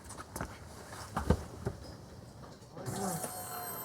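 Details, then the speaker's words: 1997 GMC 1500 5.7L Vortec, key on engine off after fuel pump and fuel filter replacement: a thin steady whine comes up and holds; normal fuel pump priming. "you should hear the pump whine for about five seconds then it'll kick off"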